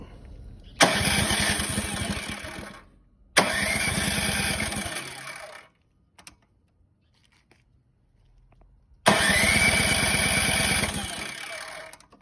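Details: Ariens 28-inch deluxe snowblower that ran twice, then would not start after the last snowfall; valve adjustment planned. Three cranking bursts of about 2.5 seconds each with even compression pulses, but it never fires. Crank, no start.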